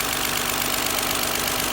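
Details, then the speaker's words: Warmed-up 2001 Lexus ES300 V6 at idle after replacing front and rear VVT solenoids for code P1349, codes cleared: smooth, steady hiss-heavy hum, no misfire, no check engine light; normal idle. "So I'm gonna go around to the front and show you guys how much more calm this sounds. Not misfiring, there's no check engine lights."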